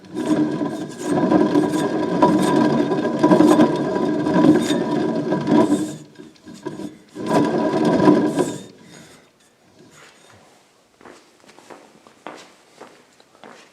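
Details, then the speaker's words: Generac RV generator with belt-driven alternator on a vertical-shaft engine, turned slowly by hand: dry, gritty rasp on every stroke, with slight shaft play; the bearing is badly worn. "can you hear that wow that bearing is bad real bad man see if you can hear that"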